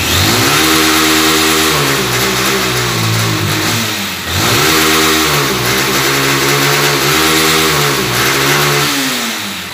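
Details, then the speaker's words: Honda Titan CG 160 single-cylinder motorcycle: revving climbs, then stalls flat at a ceiling with misfiring and no top-end acceleration; throttle position sensor fault, to be restored without replacing parts. "e aí falando que bonitinho mas essa moto tá só não tem aceleração final"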